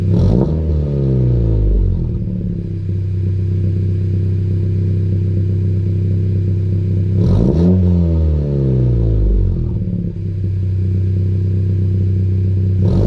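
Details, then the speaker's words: 2020 Honda Civic Si right after a PRL downpipe install, tuned with the O2 sensor disabled: two sharp throttle blips, each falling back with a crackly burble and pops; louder, aggressive exhaust working as intended. "It sounds aggressive. It burbles way more now. Like on those low little revs, that shit burbles way more. Pops too."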